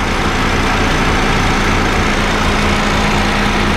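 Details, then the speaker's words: Honda Fit GD3 idling with the A/C on: a low, uneven rumbling from the A/C compressor, with the gas charge confirmed not overfilled. The compressor is suspected to be slightly worn; treated by adding a Power Aircon additive. "これね、多分コンプレッサーのちょっとへたりだと思います。"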